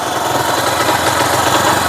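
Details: TVS Sport bike single-cylinder engine after magnet coil replacement and new gasket, previously noisy: steady, even idle with a regular beat, no knocking or rattling; healthy.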